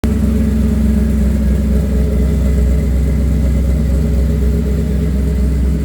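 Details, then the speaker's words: Car with Magnaflow 750 Pro-tuner fuel pump after new #10 PTFE feed line replaced deteriorating rubber line that clogged the cleaned 100-micron filter and caused stalling in reverse: steady, even low rumble, no stumble; fuel pressure 43 psi rock solid; normal running. "so the pump sounds way better with that new line on clean filter it also runs way better too 43 psi rock solid nice"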